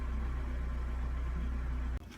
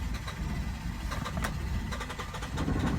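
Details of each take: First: 2015 Hyundai Santa Fe after the fuse was replaced with the correct 10 A fuse: starts quickly and holds a steady, even, smooth idle with no misses or knocks; normal idle. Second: 2015 Hyundai Santa Fe with hard or no starting and no rpm reading: the starter churns at about four beats a second but the engine never fires.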